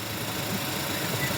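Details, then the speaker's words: Suzuki DA63T with K6A engine after fitting alternator belt and tensioner bearing, bearing now noiseless: steady, even idle, smooth low hum, no squeal, chirp or rumble from belt drive; healthy. "Ito yung bearing, gumagana na. Wala nang ingay."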